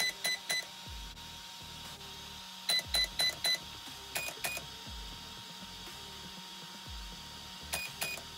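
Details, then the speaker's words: Arrma BLX-185 ESC, possible fix for a flashing green light: holding the set button while powering on, yellow motor wire disconnected (flashing red) and reconnected; bursts of sharp high beeps in twos and fours, then a higher pair, entering programming mode. "so it's detecting that it is in a mode"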